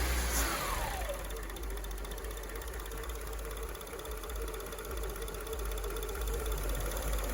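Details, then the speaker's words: 2002 Acura RSX Type S (K20), warm, with a surging idle. With the IACV port blocked by a finger, engine speed sags, probably to about 500 rpm, then holds a low, steady idle with no more surging, pointing to a defective IACV, which was replaced. "you hear that no more surgeon let me and I'm just letting my finger off a little bit at a time because there's probably a certain amount that probably went down to like 500 RPM or so"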